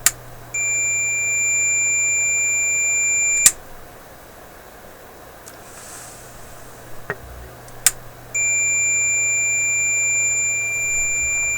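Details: Smoke detector set off by strong cleaning-solvent fumes while the on/off switch of a Philips 922 five-tube radio is being cleaned and tested: loud shrill alarm tones for about three seconds, pause, then repeat.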